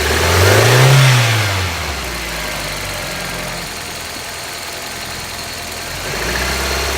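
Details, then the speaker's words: 1995 Geo Prizm during vacuum test, gauge on intake port, at elevation: one quick blip rises and falls, then rough uneven idle before revs lift; engine stutters and hesitates under throttle. "You can hear the car starting to stutter a little bit. Here's me using the acceleration."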